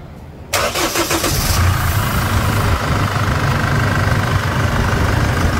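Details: Chevrolet S10 diesel after repair of broken rocker arm in the cylinder head and engine leak: cranks, fires at once, settles into even steady idle with no knocks or rattles; normal start and idle.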